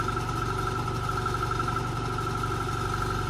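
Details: Chevrolet pickup heater blower: steady high hum with fast uneven low flutter about four beats a second while switching fan speeds; owner thinks blower motor is worn out and needs replacing, not confirmed.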